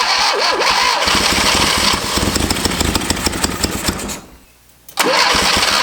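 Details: Barn-find 1971 Fiat Spider 850 four-cylinder, first start in about 30 years, number one spark plug not fitted and timing adjusted but still well off: catches and runs with a ragged, uneven, loping miss; dead cylinder and retarded timing.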